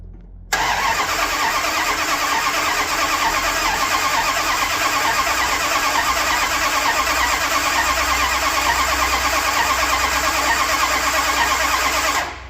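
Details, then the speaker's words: 1978 Dodge D200 with a 100,000-mile 400 big block after a drivetrain reseal and new timing set, jumped at the solenoid: steady, even cranking for about eleven seconds with no firing; owner doubts fuel has reached it yet. "don't know if it's got fuel yet. Doesn't sound like it."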